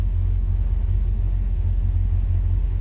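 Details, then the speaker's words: 1963 Falcon, turbo 2.3L (144 cu in), aftermarket throttle body: low, even idle with no hunting or stumbling, not fully warm at about 172–178°F, IAC at zero, ECU in closed-loop learning. Idle now much better but slightly high; balancing IAC (target 6–10%) against throttle blades. "well i got running a lot better i can get the idle down it's a tough balance though between getting the idle air control motor i think they want between like six and ten percent"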